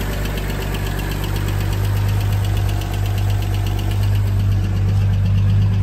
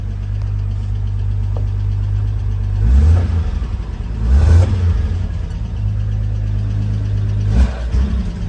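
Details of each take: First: 1980 Toyota RN30 Hilux 4x4 with Holden 186 six, first start, cold: steady low rumble at idle with an even firing beat and no knocks or rattles; normal idle. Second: 1980 Toyota RN30 Hilux 4x4 with a Holden 186 six, just started and not yet warm. Smooth low idle, but each of three throttle blips stumbles and sags before picking up. Owner suspects it needs to warm up; cause unclear.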